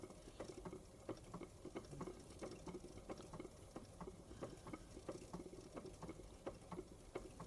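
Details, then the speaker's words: Wilesco D32 model steam engine after restoration with a new control panel, run in a cold January garage with thick steam oil: soft, even chuffing at a slow speed, no knocks, running smoothly like a museum steam engine. "Look how slow that will go. Look. Looks like the proper old steam engines you see in museums."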